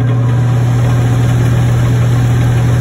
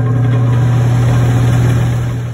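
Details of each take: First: Attic fan motor running briefly; the earlier clanking isn't heard, but a loud constant low hum remains. Frame and blades look fine, so the motor is the most likely cause and is to be replaced. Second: Attic fan after its noisy motor was replaced (it had been clanking loudly at night), heard at power-up; a steady, even low hum with no rattle, ticking or scraping, and the new motor runs clean.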